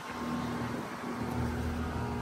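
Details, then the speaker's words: 2018 Goodman GSZ14 2-ton heat pump: compressor tries to start with a weak, low steady hum that never builds into a running note; it won't start and has run fan-only since the previous day; cause unknown. "See, it keeps doing that. It sounds very weak. Um, so yeah, this compressor sounds very weak. It It will not start it."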